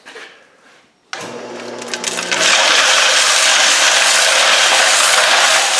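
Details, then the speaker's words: Homemade foam-insulated tumbler with nuts, bolts and scrap metal inside: loud, even clatter of tumbling metal settling into a steady continuous roar; normal operation. "I tried the foam all the way around it including the door trying to stop some of the noise it didn't do a whole lot to stop some of the noise so I'm going to turn it on here and let you listen to it making noise"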